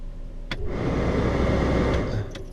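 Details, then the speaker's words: VW Jetta heater blower at 40 degrees outside: speeds 1–3 do not work and only 4 does. A click, then a dull, rough, uneven fan roar that swells and fades. Suspected bad blower motor resistor, and the blower motor may also be failing. "which is um heading towards um a bad blower motor resistor which is this part right here and also the blow motor might be going bad as well"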